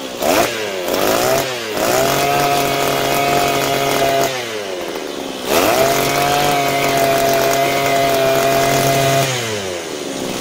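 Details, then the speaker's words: Butane-gas grass cutter engine after carburetor repair (cleaned, diaphragm and gasket refitted, new spark plug): two clean rev-ups to a steady high buzz, easing back smoothly; repair completed successfully. "Việc sửa chữa đã hoàn tất thành công."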